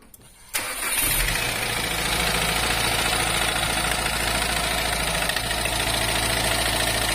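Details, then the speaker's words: Subaru Impreza GDB applied model C, 110,000 km, brought in for engine noise: engine starts and settles to idle with a loud busy rattle over the low rumble; clearly abnormal, source not yet pinned down. "え結構な異音が出ております"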